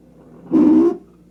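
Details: Noisy refrigerator at 3am: a short, loud buzzing groan bursts out over a faint low hum, then stops.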